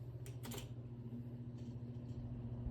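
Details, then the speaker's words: Roughly 30-year-old 20-inch Kmart box fan, auction find, first test on low: quiet, even low motor hum with a few handling clicks and a good breeze; running normally. "oh works fine it's pretty quiet and blow bows had a pretty good Breeze too medium wow that is a jump it's running pretty good too and high"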